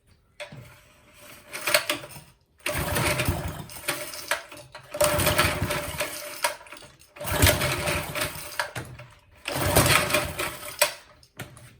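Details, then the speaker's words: Old McLane lawn edger with Briggs and Stratton engine, running after carburettor mixture screw adjusted richer: surges and sags in repeated bursts, hunting and rough, with smoke from exhaust; owner suspects too rich mixture. "Too rich, maybe? Ooh. Oh, look, see that smoke coming out? Too rich."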